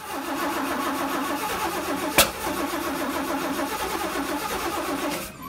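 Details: Engine that ran fine on a clean tank, then had filters clogging from a rusty old tank; after Sea Foam in the carb, clean fuel and starting fluid, the starter churns steadily about five seconds with no firing; cranks but no start.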